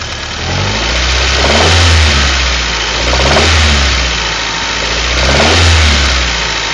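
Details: Honda Prelude with an H23A1 engine, revved in repeated blips about every two seconds, with a dull knock on each rise; the owner suspects a possible wrist pin knock, not confirmed.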